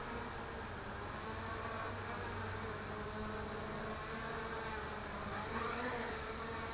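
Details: The front left Sunnysky motor gives a high buzzing whine with a slightly rough, wavering pitch as it spins. It sounds unhappy, but the cause is unclear.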